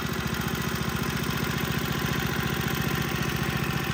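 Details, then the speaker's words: Tecumseh HSSK50 single-cylinder engine from a stripped Troy-Bilt snowblower, after a new head gasket and bolts fixed the no-compression fault: an even, regular thump with no misses, knocks or hunting. It runs very well. "and now we have an engine that runs very well that has nothing to power"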